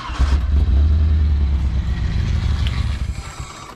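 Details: Nissan S13 240SX convertible after swapping in a replacement ECU (old ECU suspected of killing cylinder 3 firing): engine catches on the first crank and settles into a deep, even idle with a steady beat and no stumbling; normal start and idle.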